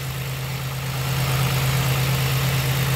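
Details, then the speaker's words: 2006 Pontiac Grand Prix base V6 idling after top swap with new exhaust valve seals, bleeding air from cooling system; even low hum, steady beat about 3/s, no stumbles – smooth, healthy, running much better than before. "the car at least is running much better so just gonna let it idle"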